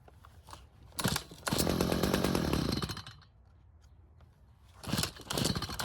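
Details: Stihl two-stroke hedge trimmer stored with old fuel, after L screw turned another quarter turn (half total) and idle speed raised; now stays running, crisp clean revs climb and fall without stumbling or dying.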